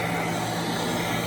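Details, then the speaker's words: 1991 Royal Model 882T upright vacuum, just reassembled with motor brushes reinstalled after loose brush screws, probably long unserviced; on the floor: steady, even motor roar with constant hum, strong suction, no rattles or surging, running normally. "Now it's on the floor. Probably one more click. There we go. Quite a bit of suction."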